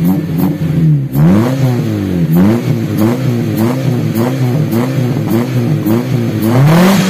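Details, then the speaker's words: Taruna EFI after a tune-up and idle-screw adjustment: repeated throttle blips climb crisply and drop back quickly to a steady idle without hanging. Responsive, normal revving, though the AFR could still be leaned further. "Coba liatin dulu suara knalpotnya jadi gimana? Lebih responsif nggak? Tuh. Respon yo."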